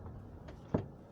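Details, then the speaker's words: Toyota Camry cabin over bumpy roads: one dull clunk from the roof over quiet cabin hum, occurring on bumps; traced to loose moon roof mounting. "that that's like that clunking sound there that's what it makes when you go through bumpy roads like this"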